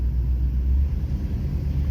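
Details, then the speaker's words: 2005 or 2006 Dodge Dakota, mileage unknown, heard while rolling: deep, steady growl rumbling from the front end, loud, a rolling noise pointing to hub bearings; suspected worn front wheel hub bearing, not yet confirmed on a lift. "oh guys it sounds like it's in the front i mean that's easy enough guys not so oh yeah it's real loud"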